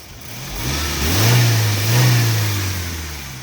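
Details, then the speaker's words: Exhaust after a rusted leaking flange was fixed with a homemade no-weld "Frankenflange": the engine revs smoothly twice and settles to a deep even note with no ticking or puffing, sounding sealed and like a completely different car. "Boy, it sounds like a completely different car."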